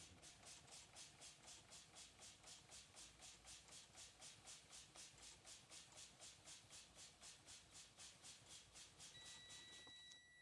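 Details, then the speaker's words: Class A truck pre-trip brake test, air pressure bled down: rapid pulsing buzz about four per second over faint idle and air hiss, warning light on; low-air buzzer cuts in before 55 psi as it should. "Okay, you hear the buzzing. You got your light on."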